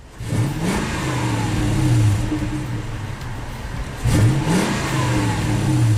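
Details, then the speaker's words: 2000 Toyota Tundra SR5 4WD 4.7L, fully warm after 10–15 minutes running, after cleaning a dirty throttle body that caused low idle and stalling: two throttle blips rev cleanly and settle to a steady idle without dying; normal. "you can rev it up real high and it won't drop down to die it's been running for about 10 or 15 minutes so it's all the way to the operating temperature"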